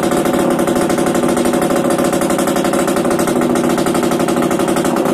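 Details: Yamaha DTR 125 with engine from a 2007 electric-start bike, first start after new unrestricted Gilera SC CDI, Big One exhaust, 240 main jet, powervalve fully open, new seals: crisp, even two-stroke buzz without stumbles or cutting out; normal running.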